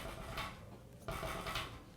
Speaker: that rattle. That is just the valve rattling in the carbon there.